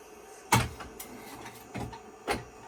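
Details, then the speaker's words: IBM PS/2 Model 25 (8086) with a 20 MB hard disk during a high-level format: four harsh scraping clunks over a quiet hum, a failing hard drive grinding, later judged dead. "see if we can least boot from it even though it sounds like uh somebody's dragging their muffler down the street"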